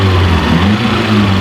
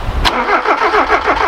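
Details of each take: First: Ford KE TX3 Laser turbo, B6T twin-cam engine, revived after injector cleaner and left running to heat-cycle; steady even idle with a smooth low rumble and no misses, knocks or ticks; normal idle. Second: Ford KE TX3 Turbo B6T twin cam manual, crank-no-start. Spark now believed present and earlier lacked fuel. Injectors thought stuck with bad fuel, one leaking. Aerostart about to be tried with a jump pack. Steady cranking about seven beats a second, never catches. Suspected clogged injectors.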